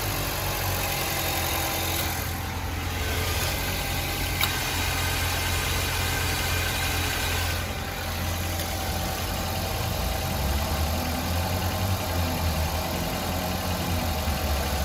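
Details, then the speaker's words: Car AC at engine idle while being recharged with refrigerant through a manifold gauge set after UV dye injection: even idle hum and steady low rumble, compressor working and condenser fan running, vents getting cold; normal operation. "And you can tell that the compressor is working. And you can hear the AC fan coming in. Taking the hot air from the condenser, moving it out."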